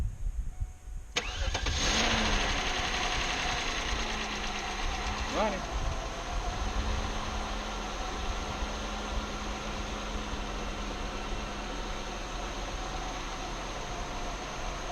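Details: 1999 Oldsmobile Aurora after replacing broken accessory belt tensioner pulley and belt, first start after three months sitting: catches after a few cranks, light tick at first that fades, then even healthy idle.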